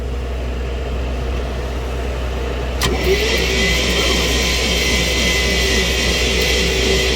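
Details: 1961 Dodge C800 truck after 20+ years sitting: a sharp click, then the starter turns the engine at about four even pulls a second but it never fires; points were cleaned and now spark faintly. Cause suspected, not confirmed.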